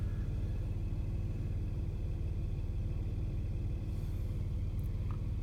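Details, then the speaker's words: 1995 Nissan Maxima that intermittently idles rough, after revving to 7000 rpm: low steady idle hum, even rhythm, RPM needle steady, no shaking; normal smooth idle. "can see there are PM needles not really moving the car is idling nicely nice and smooth in here no shaking"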